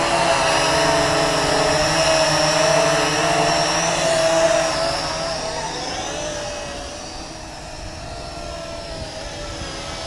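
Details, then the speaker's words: Drocon UDI A818A Plus-W drone at about 14–16% battery after low battery warning, full forward pitch: high buzzy motor whine sags in pitch and loudness; motors straining at low battery. "so 14% it starts it starts making the sound and there it goes that's it as soon as you hear that thing buzz"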